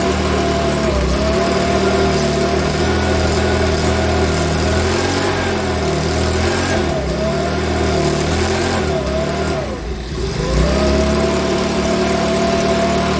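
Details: Makita BHX2500 four-stroke leaf blower, after valve clearance and timing check, NGK plug checked, airbox off: running fast with uneven, wavering beat and surging pitch; rough running, owner reckons it needs a new carburettor.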